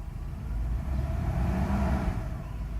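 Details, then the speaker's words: Mercedes S320 V8 running with a throttle control module taken from a six-cylinder car: the engine rises slowly and unevenly when the throttle opens, lacking crisp pickup, and still accelerates but quite poorly; the warning light is on from the incompatibility. "yeah the acceleration is different because again this is a v8 and the control module came from six-cylinder vehicle it still accelerates but quite poorly"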